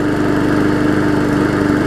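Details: Hyper Tough mower after a severely bent blade was replaced: steady, even idle hum at constant pitch with no knocks or wobble; the mower runs healthy.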